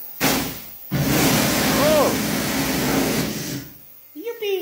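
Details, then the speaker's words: Kärcher Professional HDS 12/18-4 S hot-water pressure washer, bought cheap from Germany with cracked boiler, after boiler replacement: steady even rush and hum of pump and motor, no knocking or surging; running normally, oil change still due. "to je zvuk takto to má byť že by to normálne že išlo"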